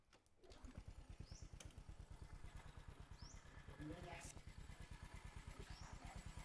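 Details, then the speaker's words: Honda Future Neo engine, original, freshly serviced after over ten years of use, mounted on a frame for testing: even steady putter at fast idle, light valve tapping, no clutch or other knocks; healthy, normal running. "em máy không có gì bàn anh em chỉ nghe tiếng bét tạch tạch chứ tiếng nồi chả cọc cọc tiế bô nổ bịch bịch bịch"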